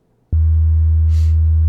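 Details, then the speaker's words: Steady low 80 Hz test tone from a sound-deadened car door speaker in a custom speaker pod plays cleanly, with no buzz or rattle, unlike the non-deadened door that rattles heavily at 80 Hz. "And at 100 hertz, everything kind of quiets down again."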